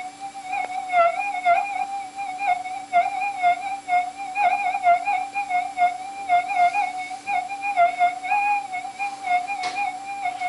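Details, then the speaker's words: GPX4000 metal detector with ground balance modification, on sensitive extra: even warbling threshold tone with light crackly interference; hot rock tuned out, only background electrical interference remains. "out it's basically gone just a bit of background W electrical interference and so [Music] forth"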